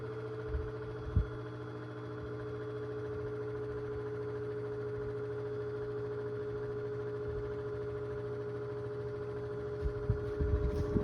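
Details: 2002 Cool Breeze 12-inch oscillating desk fan after 20 years of heavy use: constant high-pitched squeal over motor hum while spinning; motor bearings completely shot, couldn't be oiled due to stripped screws.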